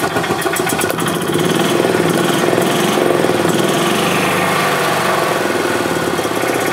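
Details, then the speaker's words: 2007 Club Car Precedent gas golf cart, single-cylinder engine after fuel pump/gas-in-oil repair; rough, rising and sagging start-stop running as pedal pressed; governor out of adjustment, throttle opens before engine starts, prone to backfiring and jerky starts. "so this governor is a bit out of adjustment that's why you're hearing its start and stop like that because I'm giving a pedal but the throttle is actually open before the engine starts"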